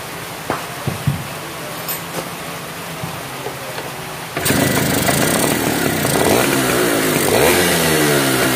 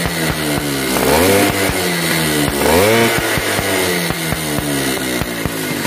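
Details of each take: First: Yamaha V80 two-stroke after repair of a compression leak at the cylinder head and replacement of a worn fuel part that let petrol seep: after a few clicks it fires and holds a steady, healthy buzz with no popping. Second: Yamaha V80 two-stroke revved hard twice: sharp, regular popping ticks from compression leaking at the cylinder head at high revs. The owner suspects a missing or damaged head gasket or loose head bolts.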